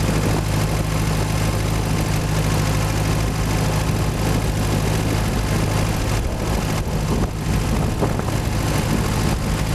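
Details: Boat inboard engine under way on sea trial at cruise, 1500 rpm, 60 psi oil pressure, water temperature about 130: steady even low rumble at constant speed, no knocks, misses or surges; normal running, engine later died, owner suspects clogged carburetor.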